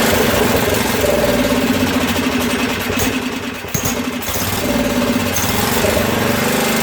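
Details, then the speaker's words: Craftsman rear-engine tractor, 13hp Tecumseh OHV single, after valve work: uneven, stumbling idle sagging almost to stalling then recovering; owner says it sounds lean and has a lot of water in the fuel. "okay so that sounds a little lean and she's got a lot of water in it"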